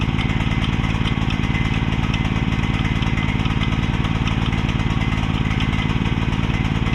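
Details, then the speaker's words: Repaired mini excavator's small single-cylinder pull-start engine: steady fast idle, slightly loping, with the choke never turned off; running rich. "let it run for a little while while I put the track back on and uh [snorts] couldn't figure out why it was smoking so much and I realized I never turned the choke off."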